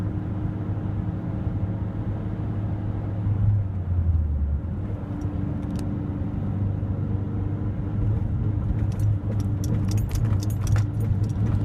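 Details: Mazdaspeed3, unused two weeks, after about 2 miles of driving: low engine rumble under road noise sags and recovers around 3 (thousand) rpm with a steady pedal; engine surging under steady throttle, owner suspects misfire or fuel pump, unconfirmed.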